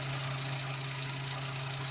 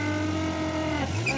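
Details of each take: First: Nissan Be-1 small petrol engine, ignition timing set by ear to the smoothest position with vacuum advance connected: steady low hum with an even, fairly quick pulse and no misses; idling smoothly. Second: Nissan engine running: steady drone with a honking, pitch-jumping goose-like tone, first thought to be a carburetor diaphragm, found to be air sucking in through the valve cover breather when its hose is off.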